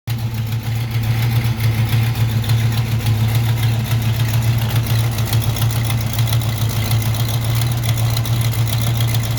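Car engine idling with a steady low drone and a fast, loose puffing tick from an exhaust leak.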